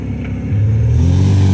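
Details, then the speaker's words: 1972 MGB, SU HIF44 carburettors, after air-fuel mixture screw adjustment, air filters off: engine note climbs cleanly as throttle opens, no stumble or flat spot; off-idle rough, powerless acceleration fixed. "i think i did a pretty good job i mean i don't even know how old this motor is you know it's purring it is purring like a kitten wow"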